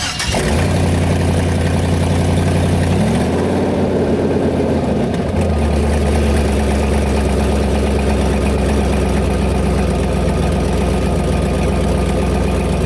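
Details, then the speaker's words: Turbo LS Ford Ranger, tested with 2-step before track day: starts, blips and settles to a lumpy idle with sharp metallic lifter-like ticking from a big exhaust leak that also ran it lean. "well bit sad but I got that big exhaust leak in there and it wasn't building"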